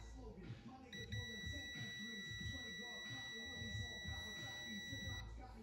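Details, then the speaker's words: Link G4x PNP ECU for a JZX100 1JZ-GTE non-VVTi, bench tested and powered on (pin 100 power, pin 52 ground). A steady continuity beep holds about four seconds after the probe is removed, then the meter reads about 21 volts. The cause is unexplained and the owner is stumped. "Like I keep it on for a few seconds. I take it off and it's still beeping and then it reads like 21 molts or something weird, bro."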